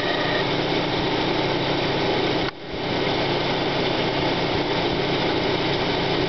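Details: 1995 Plymouth Neon Sport DOHC, cold start: rough, gritty grind under the idle that fades once warm. Timing belt walks back and forth on the idler pulley; owner suspects idler bearing or water pump. Cause unconfirmed.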